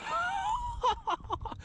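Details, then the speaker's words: Traxxas Sledge 1/8 run on 8S with a Kraton 1/5 1250 kV motor, Max 6 and 27/46 gearing: thin, rising whine near 1 kHz while airborne, then rattly bursts. The heat sink shifted and the center drive cup chewed into it; the diff is failing. "I was wondering what that wine noise was midair in that jump my heat sink shifted you can see right there where the drive cup C drive cup chewed into it that diff is toast"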